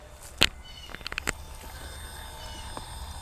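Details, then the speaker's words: RC rock crawler on a Copperhead 10 ESC with a high-kV motor, geared down and crawling in first gear: a faint, steady high-pitched whine under rock clicks; normal ESC and motor whine while crawling. "There's a whine, and if we were using an outrunner, it'd be really, really loud, to the point to where you could almost not hear me."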